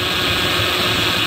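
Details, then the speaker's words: Dodge Ram 1500 just after steering rack and pinion replacement, engine cranked up to work air out: loud steady hissy whir with a gritty edge over the engine as the power steering pump churns air. System needs bleeding and topping up. "So we'll go ahead and get the truck cranked up here, start working some of this air out. Okay, you hear it making some noise there."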